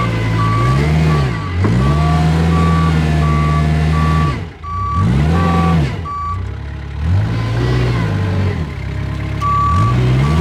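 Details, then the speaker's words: Kubota 520 hydrostatic wheel loader that won't reverse up steep hills. The diesel labours and dips under load with the reverse alarm beeping. Reverse falls flat into the pile while forward climbs it; the mechanic suspects the reverse circuit is hitting relief. "All right. So definitely proved that uh reverse just kind of falls flat on its face when you go into the pile and that forward it definitely wanted to climb that pile."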